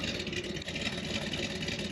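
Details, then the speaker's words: 1979 Corvette C3 small-block V8 that had been sitting, found with a mild cam, at idle: a steady, even, crisp exhaust note with no knocks or misses; sounds tight and healthy. "man, that sounds so tight."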